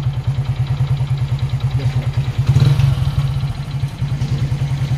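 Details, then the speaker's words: Hero HF Deluxe motorcycle, about 21,000 on the clock, no smoke or oil loss, checked by screwdriver on block: steady low thudding knock about three per second following engine speed, heavier on the rev; piston slap. "सिर्फ और सिर्फ पिस्तौल में तन तन का sound ए रहा"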